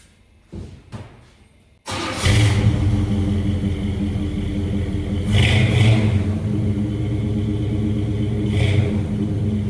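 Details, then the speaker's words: 1978 Chevy C20 truck: starter whirs, engine catches and settles into a deep even rumble with a few clean throttle blips; sounds healthy, normal running and revving. "Well, I will say one thing. She sure sounds good."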